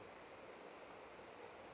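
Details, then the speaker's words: Yasaka standing fan that only spun when pushed by hand, after replacing the faulty capacitor: even, soft airy rush with no hum, rattle or wobble; fan now starts without hand help and runs normally. "Oke sudah tidak dibantu pakai tangan lagi ya yang sekarang kipas anginnya sudah bagus ya"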